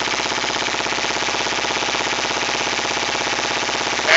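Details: 2008 Kawasaki Ninja 250R, restarted by pulling throttle fully back, exhaust smelling of pure gas, owner suspects running rich and needing rejet; fast, even firing held steady well above normal idle, about 2-3,000 rpm, sometimes hanging at 5,000: high idle, cause unconfirmed.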